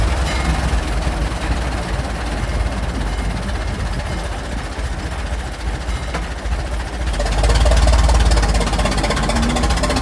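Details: Restored 1921 American LaFrance fire engine (Licking County Fire Dept.), restoration finished, on a ride: deep, even low rumble with steady firing, picking up briefly near the end; old engine runs smooth and healthy.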